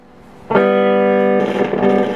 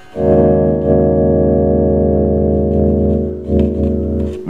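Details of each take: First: 1969 Shure Vocal Master PA amplifier with guitar plugged in: clean chord turns crackly and uneven as the dirty, scratchy volume pots are moved. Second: 1969 Shure Vocal Master PA amplifier after cleaning scratchy pots: sustained organ-like chord plays steady and smooth, no crackle or scratch.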